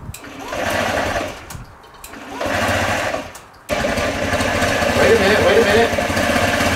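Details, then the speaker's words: Cheap used Honda Ruckus scooter first start: surges and dies twice, restarts into lumpy boggy run with very low idle, dies when given gas; owner suspects old gas or carburetor needing cleaning. "It runs. Come on, that's good. Yes. Dies when I give it gas, though."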